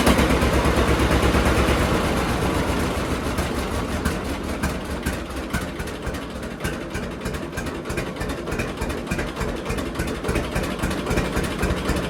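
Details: John Deere D two-cylinder tractor after cleaning plugs and gapping Autolite 3076 plugs to 0.030 in; steady putt about three pops a second, even with no skips: normal idle, misfire gone.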